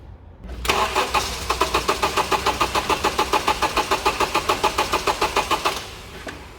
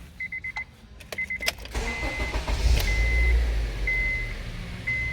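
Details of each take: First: 2.4L petrol Honda CR-V, towed in for loss of power, cutting out and hard starting: steady starter cranking at about three and a half turns per second for five seconds with no catch; only about 15 psi running pressure and minimal flow, suspected blocked fuel filter or weak fuel pump. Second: 2007 Honda CR-V 2.4L petrol (possibly 2012), towed in for loss of power, cutting out and hard starting. After scan-tool DTCs are erased, door chimes, a short crank, then it catches at once and settles to an even idle: a normal start.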